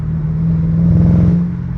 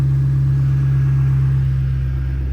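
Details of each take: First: 2005–2009 Ford Mustang GT V8 accelerating at around half throttle, e.g. in third gear: deep rumble with an uneven, stumbling pulse; random misfire, up to three cylinders dropping only under load, fine at idle; owner suspects lean condition, fuel-related. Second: 2005-2009 Mustang GT V8 after replacing spark plugs and reinstalling coil packs for a misfire: deep, steady rumble with an even pulse at idle, smooth start, no misfire.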